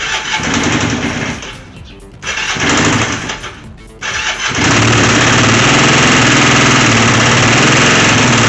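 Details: Long-sitting twin motorcycle after a battery, tank clean, carburetor clean, new fuel line and tee, tank valve seals and ignition switch. A few cranks, then it catches and idles steadily with a loose, uneven metallic knocking rattle; source unknown.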